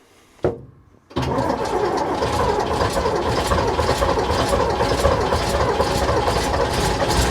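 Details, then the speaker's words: AEC Matador 7.7 litre diesel, in neutral on a cold day, after overhauled injection pump and injectors refitted: starter churns about four beats a second, never catches; still drawing air after fuel system was apart. "Right, we got to remember that the entire fuel system's been apart. So, I'll blow out what air I can, but it's still going to take a bit more work."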